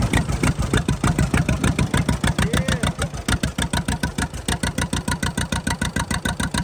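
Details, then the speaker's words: 83-year-old John Deere B sitting 20 years with stuck engine, first start after freeing it, oil pressure up, fuel on, no cooling system; slow even two-cylinder popping about 200 beats a minute, steady and strong; it runs. "not he's a runner awesome we got a lot more to do this thing but the fact that it runs that just makes me so happy"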